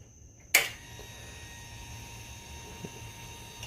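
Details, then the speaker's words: 2008 Yamaha V-Star 1300 Tourer, no-start with no fuel, after fitting a new higher-grade fuel pump with a temporary fuel line to the reserve tank: click at key-on then thin steady high whine at one pitch; pump priming normally. "So now I should be able to turn the key and it should prime. And yeah, should get fuel. Oh yeah. Oh, I hear it pushing fuel."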